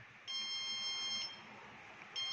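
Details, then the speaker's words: Petrol pump tank automation console (BPCL) with green, red and blue lights lit sounds two bursts of shrill, steady high-pitched beeping: low product alarm as petrol stock runs low, calling for a delivery; silenced by double-clicking "delivery required". "देखिए, ऐसा लग रहा है कि आपके उत्पाद का stock कम हो रहा है। तो, अब यहाँ उत्पाद कम हो रहा है, इसलिए हमें एक वाहन बुलाना पड़ेगा।"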